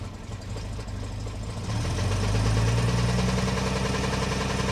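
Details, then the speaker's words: 1970 Mercedes-Benz 250 (W114) at a Copart auction, just started: engine catches and settles into an uneven idle with a lumpy pulse about three per second; rough idle, not smooth. "She's idling. She's absolutely idling. She's not idling smoothly, but she is idling."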